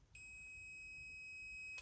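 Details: Numatic Henry HVR200 vacuum cleaner motor, tested with meter after reassembly; steady high continuity tone for about 1.5 seconds, motor circuit through switch complete.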